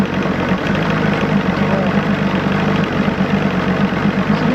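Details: 1986 Johnson 90hp SPL outboard running in a water tub after link-and-sync, ignition timing and restoring a modified carb to original. Idle slightly adjusted. Steady, even burble with a constant low hum, no misses or knocks. Idling smoothly.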